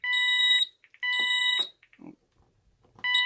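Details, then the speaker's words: Ademco 6139R alarm keypad under test: shrill sounder tone in half-second bursts with short broken chirps and uneven pauses, stuttering, though less than the owner's other keypads. "So as you can hear, this one does stutter a little bit as well, but it doesn't stutter as bad as my other keypads."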